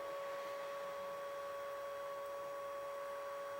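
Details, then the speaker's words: Triumph T100 Bonneville (0 miles, long stored) fuel pump bench-run: a steady, even whine at constant pitch with no rattle; the pump now runs smoothly, and a new filter and tank clean are planned. "Sounds nice and smooth now. So that wants to be coming out of the black side. Yeah. That looks like it's going to be fine, that pump."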